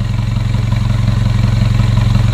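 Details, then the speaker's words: Mitsubishi Pajero Sport Dakar diesel (year unsure, maybe 2014), ECU remapped. Heavy, evenly pulsing idle clatter with a deep throb, smoke smelling of raw fuel. Mechanic suspects widened injector holes or uneven spray, though the engine sounds not very rough at idle. Rough diesel idle. "minyak atau pembakaran mentah kalau seperti ini bisa jadi dikarenakan lubang injektor ya yang sudah melebar ataupun semburannya tidak sama"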